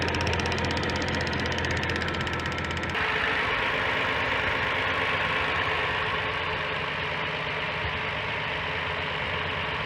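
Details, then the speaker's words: 2007 Hyundai Santa Fe Limited 3.3 L V6 at start-up: a light, quick ticking about four times a second from a faulty purge control valve. Unplugging the valve stops it, confirming the valve is bad. "what i'm getting is a ticking sound when i start the car and i notice when i pull the plug off it stops so that purge control valve is bad"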